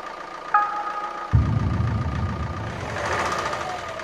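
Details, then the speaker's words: Renault Scenic 1.9 dCi 120 hp overhead-cam diesel after injector replacement: it starts and idles with a sharp metallic clack repeating with the engine beat. Valve clearances checked and found good (about 0.2 mm intake, 0.45 mm exhaust), but the clack persists and its source remains unknown. "bon finalement je n'ai pas réglé le problème j'ai toujours se claquent au vent et ça c'est pas bon signe"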